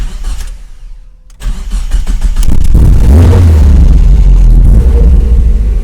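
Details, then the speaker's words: Car's first start after sitting almost a year, new quick-release battery terminals fitted: starter churns about 1.5 seconds, then engine catches and runs strong and even; normal start, owner suspects an oil leak. "There we go, let's do it. First start in the year. Alrighty. Let's see. So far so good."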